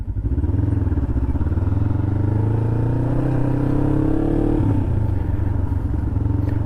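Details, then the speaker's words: 2007 Kawasaki Ninja 500R twin, after carb cleaning with new needles, on first ride with aftermarket exhaust; smooth, even exhaust note climbing with throttle and dropping back cleanly, no knocks or misfires, not overheating; runs healthy. "that exhaust is hilarious man it sounds really good for a V2 and it sounds good it's not overpowering but it definitely has a nice tone to it"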